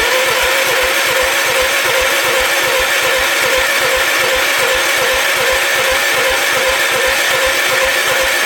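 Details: Gravely 816 tractor with swapped Kohler KT19 engine: steady rapid starter churn with rhythmic compression pulses, never fires; fuel pump not delivering fuel, later found leaking, and carburetor bowl nut loose. Cranking, no start.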